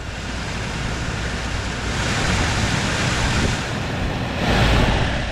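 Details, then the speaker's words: 2013–2019 VW Beetle HVAC blower motor after removing a ticket lodged inside the fan, car on, fan running: smooth airy rush with gentle airflow swell, no rattle, ticking or scraping. Normal blower fan. "and just absolutely no noise whatsoever coming from it. So, this thing is working really good."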